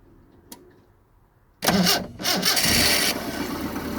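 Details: 1974 Honda Civic series 1 Mk1, test run after new spark plugs: engine cranks and catches, then runs unevenly with a stumbling, irregular beat; still misfiring, owner plans compression check; cause unconfirmed.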